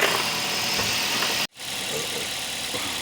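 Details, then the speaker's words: Toyota Vios that would only crank and not start, now running after work on battery connection: engine idles steadily and evenly with no stumbling or misses, briefly cut out midway; running normally while warming up. "So ayan guys, naandar na yung BIOS Robin."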